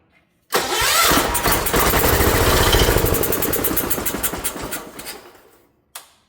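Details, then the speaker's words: Ford LGT145 garden tractor from a parts yard, after repair, with the battery hooked up and a little fuel given to help it: quick, fairly even cranking that catches and fires, turning over far better than before. "That's way better than it was before. Come on. There we go."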